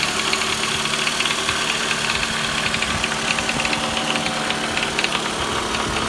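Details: 2009 Toyota Vellfire 24Z (ANH25W, 2AZ-FE), 142,078 km: fast, light metallic knocking over a steady idle; persisted after timing chain replacement, oil pump fine, vanished with balance shaft removed, so balance shaft appears to be the cause.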